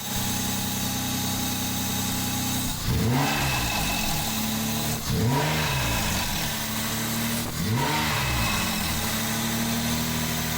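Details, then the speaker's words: Mazda MX5 with a swapped-in replacement engine: steady idle, then three quick throttle blips with a light metallic valvetrain chatter rising with revs, cause unclear; rechecked after checking valve clearances, replacing water outlet seals and tightening exhaust manifold nuts. "so check the valve clearances replaced a couple of seals on this water point I've tightened up some of the exhaust manifold and nuts so I'm curious to see if it's still making this noise"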